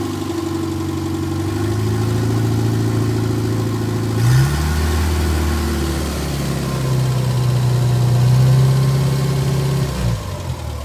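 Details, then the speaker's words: 1958 Morris Minor ute (LCV pickup) that sat about 20 years, first start: low, steady four-cylinder idle with a gentle rev blip and no knocks. Charging weakly, possibly because the fan belt and generator were loose. "I can't believe this thing is actually going. This is crazy."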